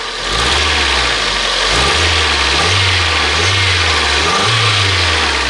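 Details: 1997 Toyota RAV4 petrol engine revving up and down with an uneven, stumbling note; code P0301, cylinder 1 misfire detected.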